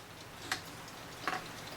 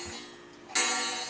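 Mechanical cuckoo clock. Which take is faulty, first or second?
second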